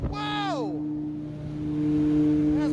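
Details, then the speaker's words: New motor on a kitchen hood upblast rooftop exhaust fan, lifted off the curb: clean steady low hum with a higher tone above, no squeal or rattle; fan motor runs smoothly. "this is a brand new motor so it ought to haul baby"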